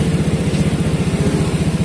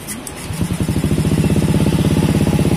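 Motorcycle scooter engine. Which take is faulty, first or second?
second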